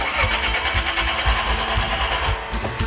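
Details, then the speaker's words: Two-engine junkyard truck with rehacked wiring and fuel pump and tank moved to roof: steady starter cranking about two beats a second, never catches, no pump hum; fuel pump not powered, hot-wiring planned. Crank no start. "okay it is definitely not powering on anything in the tank going to attempt to hot wire our fuel pump wish me luck"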